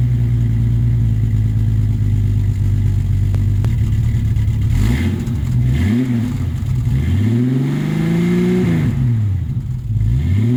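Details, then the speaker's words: 1989 Jeep Cherokee XJ, 4.6L stroker I6, AW4 transmission, after installing a Flowmaster 50 Series chambered muffler to replace a blown-out one: smooth idle and clean revs with a deep, even exhaust note, no rasp or rattle; near-stock inside, louder outside. "It sounds basically like stock from the inside, maybe like the very tiniest hint of anger. And then when you get outside, you can actually hear something."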